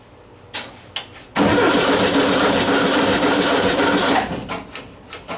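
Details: 1959 VW single cab pickup under restoration, newly installed engine started on a retry: a few clicks, then it catches and runs evenly for about three seconds with a steady beat; normal cold start.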